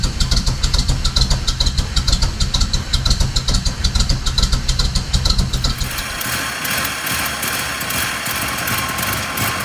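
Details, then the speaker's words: 1950 Pontiac Chieftain started after sitting a long time, given starter fluid, with fuel shut off because the carburetor was leaking (float valve possibly stuck); valves cleaned. Rough uneven firing at first, then a steady even idle: normal start and idle. "that sounds great we've cleaned off the valves and the engine runs well now"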